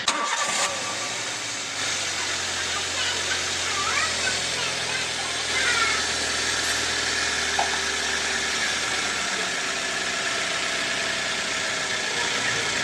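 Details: 2010 Toyota Avanza after fixing the damaged crankshaft pulley (worn rubber damper that caused front-engine rubbing noise) and replacing the seal: quick clean start, steady even idle with no rubbing, knocking or roughness over fan noise; sounds healthy.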